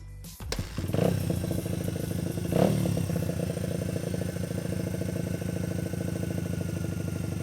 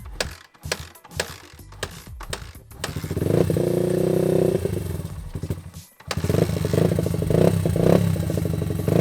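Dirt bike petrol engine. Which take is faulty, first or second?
second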